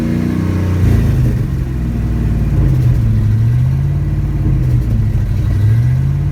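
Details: 1987 Chevy Silverado K10 350 with a rough V8 idle whose speed drifts up and down on its own in a slow hunting surge, gaining and losing power; cause not yet found.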